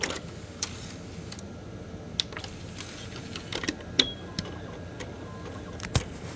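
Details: Xbox with Philips DVD drive: irregular sharp clicks and ticks over a low steady whir from the disc drive.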